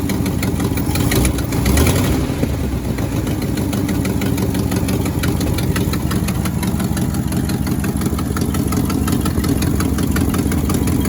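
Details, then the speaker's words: 1967 Ford F100 V8 just revived with a junkyard starter, idling steadily: a fast, sharp ticking puff over the rumble from a small exhaust leak, described as normal for these trucks. "got a bit of an exhaust leak over here but that's kind of normal for these"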